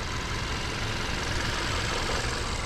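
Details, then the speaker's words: Subaru Forester SK5 1.8 turbo 2021, 4WD, about 22,000 km, petrol, Motul 5W30 oil at about 5,500 km and due for change; quiet, even idle with soft steady hum, no ticks or knocks; normal idle. "What is it, does it work so quietly or not? Yes, it’s normal, but now we’ll change the oil; it will run quieter than the mileage;"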